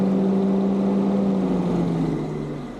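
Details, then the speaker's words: Car after cooling-system work, radiator cap back on, system pressurizing, both thermostats open, radiator and lower hose hot: steady fan hum winds down and fades as the radiator fan cuts out; normal fan cycling before the road test. "radiator fan keeps cutting in and out as you can"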